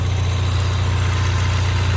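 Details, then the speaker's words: 2016 Ford Mustang EcoBoost four-cylinder, which a shop said was bad, at idle. Smooth, deep, steady hum with no ticks or stumbles. The owner judges it a good motor: brown plugs, no smoke, good oil pressure. A minor valve cover gasket leak is noted. "So, I'm calling it good motor. Runs good. Got plenty of power. Doesn't smoke. Starts right up when it's hot. Good oil pressure."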